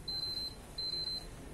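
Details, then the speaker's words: PS4 with auto-eject fault, all cables unplugged, eject button held to drain residual static charge: two short high beeps about 0.7 s apart in quiet room until beeping stops. "tekan ini sampai benar-benar tidak bunyi hai hai Hai pakai di banyak sekali Namanya arus statis"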